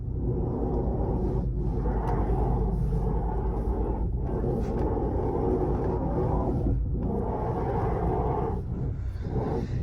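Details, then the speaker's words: Ford Fusion electric power steering rack gives a loud, coarse low rumble that swells as the wheel is turned, from a worn rack bearing; rack removed and repaired. "daqui é o mal dessa dessa caixa de direção ela ronca bastante barulho bem chato"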